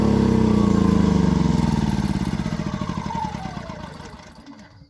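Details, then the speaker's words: New Predator 2000 inverter generator being switched to off: it runs evenly, then its pitch and loudness fall steadily as it winds down; normal, "nice and quiet." "now that is nice and quiet i knew it was gonna be nice"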